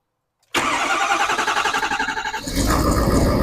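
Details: 2012 Ford F-350 6.7 Powerstroke diesel right after fuel filter change and priming by cycling the key about six times; brief crank, catches at once and settles into steady even idle with no stumble or misfire; normal start.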